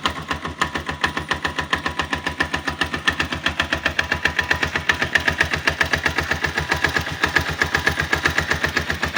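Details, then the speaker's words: 162FMG single-cylinder engine at idle with a sharp steady knock about four per second; it gets quieter when the bike is tilted to one side; source unknown. "И непонятно, где он идет. Откуда стук? На ту сторону наклонил, потише тарабанит."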